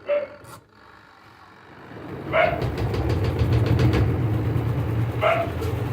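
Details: Washing machine spin dryer after repair of water not draining and clothes not drying, tested with clothes loaded: after a couple of clicks a steady low motor hum with no scraping; dries in about a minute, running properly.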